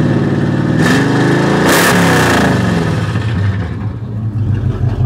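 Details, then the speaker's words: Chevy C30, carbureted, mufflers cut off, at rest after new carburetor plug and timing adjustment: loud open-exhaust revs rising and settling cleanly, smooth with no misses or pops; normal revving unloaded. "i mean it sounds good when it's when it's at rest but let me get out here on the highway and try this out see what see what it does"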